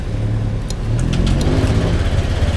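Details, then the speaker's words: Honda Click 125 scooter after throttle body cleaning, throttle sensor reading 0.0: engine fires and holds a raised, busy idle at first, then revs ease down and fluctuate; normal fast idle right after start. "Ayan. Sa unang under nyan mataas yan, mataas yung ano, ayun, bumaba na, di ba? Ang ano niya is 1716, 18, pabago-bago."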